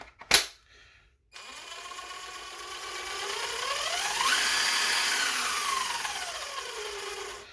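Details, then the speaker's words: Snap Fresh 20V cordless impact driver, cheap 2200 rpm tool, free-running: whine swells and fades in loudness instead of holding steady; suspected poorly fitting reduction gears, possibly a cheap motor, unconfirmed. "so you hear that that like oscillating uh noise level it's not a consistent noise level that's kind of uh symptomatic of a of a cheap drivetrain"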